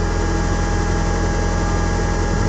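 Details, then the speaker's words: Mitsubishi Galant VR4 at idle after installing Walbro 190 fuel pump; steady deep idle with faint constant pump hum, slightly louder than stock pump, running normally. "the walbro 190 is a little bit more noisier than a stock pump so you'll you'll actually hear it"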